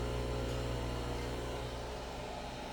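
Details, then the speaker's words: Cerwin Vega XLS-215 speakers on a Sinbosen K4-1000 amp: constant low buzz with evenly stacked tones, never changing; a device bought to stop the buzzing didn't help, owner suspects poorly shielded RCA cables or the Onkyo via HDMI ARC. "I bought this thing here to get rid of that buzzing that doesn't work so I don't know maybe the RCA's are no good"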